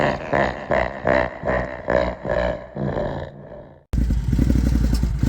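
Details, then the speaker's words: 2021 Can-Am Outlander XMR 570 at idle after a fuel pump replacement. The engine surges unevenly about twice a second, weakens and stalls near four seconds. The squirting sound in the airbox and the rough idle are still there; the owner suspects the K&N air filter. "oh it's still there God damn devil"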